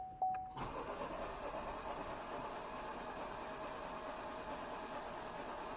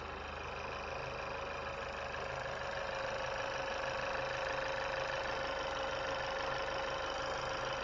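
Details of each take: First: 2020 Chevy Malibu 1.5 Turbo, first start after vacuum pump replacement and battery reconnection: chime, extended cranking reluctant to fire, then it catches into a quiet steady idle; slow to start. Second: 2020 Chevy Malibu 1.5 turbo, first start-up after vacuum pump replacement and oil and coolant refill: smooth, even idle with a steady hum and light regular injector tick, no misses or knocks, no fuel leaks, injectors fine; healthy.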